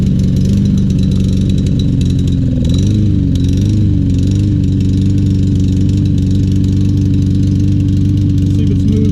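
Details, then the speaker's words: Troy-Bilt TB200 mower, 150cc Briggs & Stratton engine, after carburetor cleaning and fresh fuel: wavering, uneven beat with pitch sagging around three seconds; struggling and running rough but keeps running. "that's struggling but it's running i'll let it run a while see if it smooths out"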